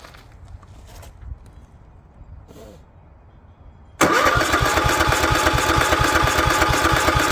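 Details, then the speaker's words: Craftsman lawn tractor, Kohler 16.5 single-cylinder engine left outside on a goat farm, air cleaner and linkage refitted, on choke: fires abruptly and settles into a steady even run, no misses or knocks; carburetor gummed up, to be replaced, but runs good. "this uh carburetor is just not happy it's all gummed up it really needs an overhaul but it ain't getting it's getting replaced so runs good"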